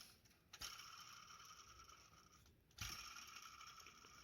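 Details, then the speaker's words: Seat Leon 2011 1.4 TSI idler pulley spun by hand: dry, gritty rasp like fine gears from a worn bearing, judged due for replacement. "Posłuchajcie do wymiany. Rolka prowadząca."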